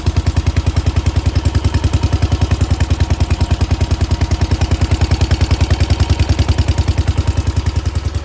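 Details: 1968 Case 155 garden tractor, sat over 20 years, just revived after no spark: steady, even low putter at about 200 beats a minute, no misses or stumbles; normal idle.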